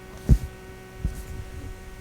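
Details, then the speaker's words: Klipsch ProMedia computer speakers: a constant slight low hum with a faint thin tone, unchanged through knob thumps at any volume or subwoofer setting and with the speaker wire disconnected; the source of the hum is not found. "i cannot get rid of this hum there's a slight hum"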